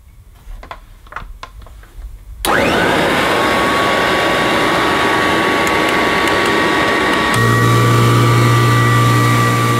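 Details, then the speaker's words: Kirby Classic III vacuum cleaner, run with suction relief valve open: a few clicks, then the motor spins up to a loud steady roar with a shrill constant whine; owner unsure if this model just sounds like that. "yeah I don't know perhaps perhaps this model does sound like that anyway I'm sure kirby experts watching will be"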